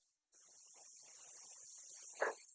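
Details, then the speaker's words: Pinhole compressed air leak on a pneumatic trainer with the cylinder held extended, flow meter reading from 28 to 29.4: faint, steady high-pitched hiss that never changes; roughly a minute of leakage wastes the air of one lift cycle. "So, roughly a minute of air leak is wasting the energy to make one cycle on lift."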